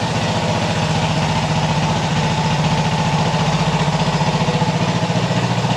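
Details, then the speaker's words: Honda CB360 twin, warm; idles at about 220 pulses a minute with an uneven, loping beat as the left cylinder cuts out, though it runs well cold; owner suspects points, condenser or coil; one cylinder misfiring when warm. "it runs pretty well when it's cold which is cold but uh once it warms up it starts breaking down and you can hear one cylinder it's actually this left cylinder uh you know it starts to cut out"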